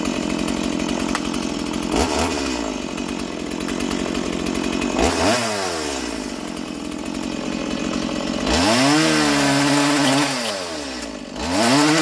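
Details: Stihl MS170 roadside-find chainsaw, first run in years with a filthy, uncleaned carburettor, cutting timber. Clean high buzz, pitch dropping evenly as the chain bites and recovering; cutting strongly.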